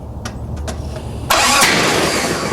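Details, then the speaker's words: Jeep cranking after the distributor was reinstalled with the rotor 180 degrees from its original position (moved from 5 to 2): a few light ticks, then one sharp loud pop and a rushing roar. Ignition backfire from the distributor sitting 180 degrees out. "God damn it! Stop. It just backfired again."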